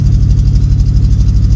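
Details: Newly bought El Camino V8 that was stalling out, started cold: deep, slightly uneven, lumpy idle with dips, close to stalling; no knock heard, owner suspects vacuum leaks that should ease once warm; unconfirmed.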